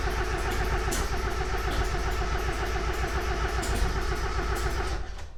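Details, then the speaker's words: 1.8 Mazda Miata with timing reportedly off, fuel and spark confirmed, no MAP: starter churns unevenly, about three or four turns a second for five seconds, engine never catches; cause unknown; crank no start. "We're still trying to figure it out. It cranks and hella smoke comes out of here, but still nothing."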